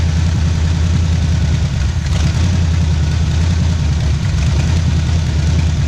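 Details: 1977 Pontiac Firebird V8 drag car revived after about 36 years sitting, cold start, warming up for thermostat to open; deep choppy lump-lump idle rhythm from big cam; normal lopey cam idle.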